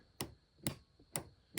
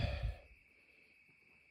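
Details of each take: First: RV battery disconnect solenoid, remotely switched to connect the batteries to 12 V coach power: sharp dry clicks about twice a second with nothing following; no steps, interior or patio lights; failed solenoid. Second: RV battery disconnect solenoid after replacement (both swapped) with batteries reconnected: three crisp clicks about a second apart over a faint hum; interior lights, patio light and steps now work; normal.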